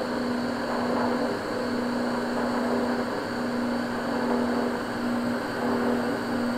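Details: Vaillant 837 boiler forced to high fire: steady rushing roar with a droning hum; partly blocked main heat exchanger coils overheating, vibrating and hitting each other (kettling).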